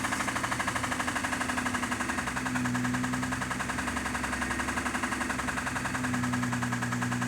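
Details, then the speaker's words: 6A13 engine with an unexplained knock; just before shutdown a fast, chattering idle with an uneven pulse and wavering tone, as if about to stall, which the owner says is new; he suspects the spark is cutting out, unconfirmed. "Такое ощущение, что сейчас заглохнет сама. Раньше такого не было. Какие-то странные вещи стали происходить. Как будто пропадает искра."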